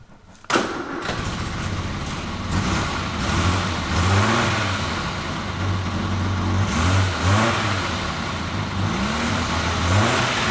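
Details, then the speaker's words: Classic car with overdrive, very cold, on choke, started indoors just after new plugs were fitted; revving a little better. Engine catches and settles into a lumpy, uneven idle with a soft irregular pulse; cold rough idle running rich from fouled plugs. "it definitely revving a little better you know it's cold as all heck and these things are so cold but you need to really warm home upon the choke for a little bit"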